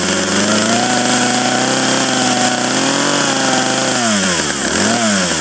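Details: 1997 Poulan 2150 two-stroke chainsaw, about 23 years old, just cold-started with choke then choke in: steady high buzz dipping and climbing back cleanly with throttle; running normally after start.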